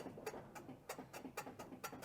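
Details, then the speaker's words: Car on a lift, suspension worked by hand: short squeaky creaks about three a second from a worn control arm bushing visibly moving in its mount; driver's side quiet, both control arms being replaced as a pair. "I can even see the bushing moving around let's see on the driver's side yeah driver's side is quiet now"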